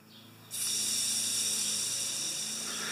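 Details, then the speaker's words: Murray mower with Briggs engine, fuel tank pressurized to about 4 psi by hand pump: steady high air hiss holding even; tank seals fine, no leak. "I don't think that Tank's going to leak I think this Tank's good"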